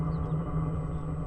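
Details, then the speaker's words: Diesel heater after fuel filter screen change, glow plug preheat done and pump ticking: steady even low hum with no surging or popping; heater lit and burning cleanly, running normally. "That's the hum you hear when it's running right, when it's actually firing up. And just nice, clean, vented heat, you know."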